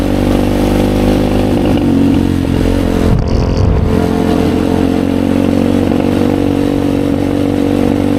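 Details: 2020 Chinese Apollo 250cc dirt bike, sat 2 years with gas left in carb, ridden: single-cylinder note stays flat, bogging and never climbing on throttle; won't rev out; owner suspects dirty carb.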